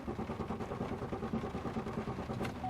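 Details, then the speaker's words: 2002 Chevy Malibu no-start with anti-theft light on: steady electric hum of the fuel pump, no cranking or firing; owner believes fuel reaches the rail but suspects no injection into cylinders and no ignition. "nothing I got a fuel pump you can hear the fuel pump so I got fuel people go into the fuel rail but I don't believe I've got fuel pissing in and the cylinders and I don't believe I've got ignition here"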